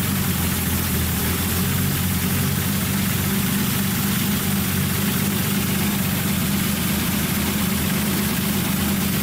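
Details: Datsun 280Z with freshly rebuilt engine, first start after fitting the coil wire, on a jump box, no muffler, lower coolant hose missing so only run briefly: a loud, steady idle with a harsh open rasp. Loud exhaust, no muffler.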